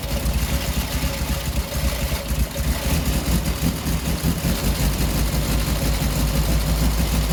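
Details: 1967 Triumph Spitfire MK3 abandoned project, first start-up: low idle with an uneven, loping beat that never settles; lumpy rough idle needing a tune-up, carbs to be stripped and cleaned.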